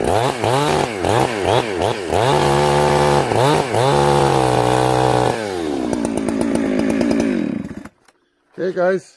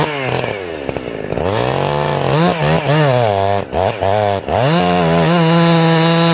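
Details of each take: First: Chainsaw, warmed up, carburetor set very rich, cutting wood: revving note breaks into uneven burbling stutter in the cut instead of a clean scream. Four-stroking from rich carburetor mixture. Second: Chainsaw restarting after carburettor tuning with the jet at one and a quarter turns: revs rise and dip, then a steady high scream with crisp response; it returned to a slightly slow idle, so the low jet was adjusted.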